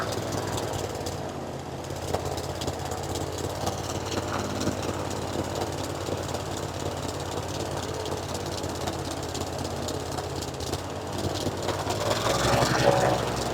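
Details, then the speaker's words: Falcon four-stroke paramotor trike just fitted with a new NOCO lithium LiFePO4 battery, restarted after a gas tank flush: loud, choppy but regular single-cylinder idle of three or four beats a second, steady; normal idle, running good. "it's running good now sorry for the loud noise I'm going to crank it up a little bit"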